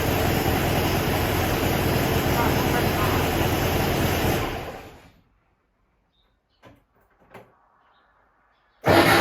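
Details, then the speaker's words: 1967 VW Bus, starting after a loose starter wire was refitted: harsh rough grinding for about four seconds while cranking, then cut off; damaged starter pinion teeth not meshing cleanly with the ring gear. "Sounds bad?! I don't have my hearing aid but I could hear... feels rough..."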